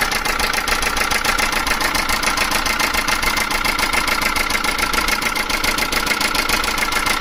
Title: Chinese Mini truck engine rattling sound. Any ideas?? #mechanic #automotive #engine #automobile